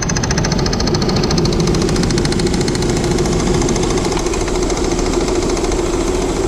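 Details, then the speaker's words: 2000 Saturn L300 3.0L V6 at idle with the accessory belt refitted after a timing belt job: rapid, uneven knocking about three a second returns; owner thinks power steering pump, pulley seen wobbling, belt possibly slipping on crank pulley. "put the accessory belt back on and we got the noise back I think it's coming from the power steering pump"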